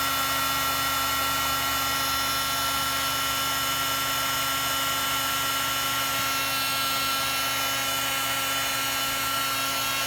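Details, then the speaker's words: Heat gun used for heat shrink during a Monkey Yoshimura fender eliminator install. A steady high-pitched motor whine with a rough, scratchy grinding hiss; the fan is suspected to be rubbing, not confirmed. "Oh man, that sounds horrible. Sounds horrible. Something's up with my heat gun."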